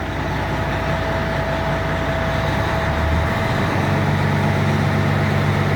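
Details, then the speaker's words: Peterbilt 379 truck started up after an oil change service, oil pressure gauge being watched. Steady, low diesel rumble with an even beat and no knocks or squeals; normal idle. "I'll start it up. There she goes. I always keep my eyes glued to the oil pressure gauge after changing oil."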